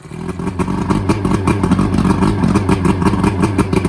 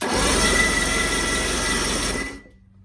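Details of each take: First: Outboard from a sunk boat after draining gas and water and adding good fuel: it runs with a quick, fairly steady low putter of about three beats a second, no stumbling; running normally. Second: Engine on a boat sunk in a pond, spark plugs removed, batteries charged: steady fast cranking at about four turns a second with a wet, spitting hiss as water shoots out of the cylinders.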